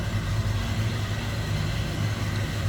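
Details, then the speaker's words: 1955 Chevrolet 3100 stepside street rod, restored three years ago, 350 small block V8 with a mild cam, idling shortly after a cold start: deep, loping rumble, steady and smooth with no knocks or ticks; normal idle. "mild cam to that 350 good sounding truck little Rumble coming out of that"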